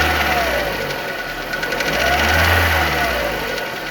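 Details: Renault Megane 2 engine with a repetitive knocking over the engine as revs rise and fall; source unknown.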